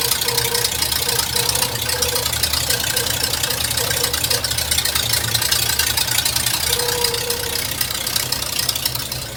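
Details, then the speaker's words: Hearse idling just after 50-mile break-in oil change with 5 quarts: steady idle with mid-pitched whine that comes and goes plus faint quick ticking; oil pressure maybe a little high; owner suspects power steering; abnormal idle noise. "I don't see any leaking, but it is making kind of a strange sound, but it might be just my power steering that's making that sound."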